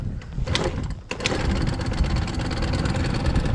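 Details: CPI two-stroke scooter, warm, restart after riding; owner expected it would not start easily: first try stumbles and dies, catches on the second attempt and settles into a buzzy, uneven idle, hard starting when hot.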